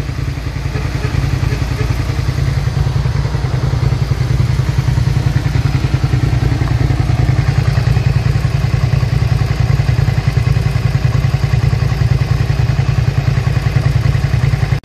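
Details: 2003 Suzuki SV650 V-twin, warm with a new radiator after long storage, idling with a steady, even low thump and no knocks, ticks or rattles. Residual smoke is burning off and the temperature cycles around 210-217. Normal idle.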